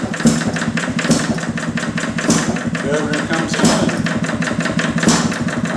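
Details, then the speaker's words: Detroit Engine Works 2HP old engine after repair, full ignition advance, rag wrapped on pulley for light load; slow sharp exhaust beats with bursts as governor opens up, running smoothly. "Take a rag here, wrap around the pulley and give it a little load."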